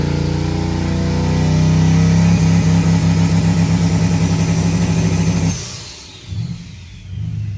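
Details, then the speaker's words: Turbo LS2 V8 Camaro after new lifters, held on the two-step launch limiter and building nine pounds of boost: a quick, even stutter with every cylinder firing cleanly, running on all eight, then lets off. "all right gets up on the two-step seems to be working pretty well sounds good running on all eight"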